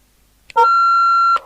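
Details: Kernow DW900 UK FM CB radio from about 1990, on channel 20 during repair and alignment on the bench: sudden steady high-pitched howl for about a second on keying up, then cuts off; the set is feeding back on transmit.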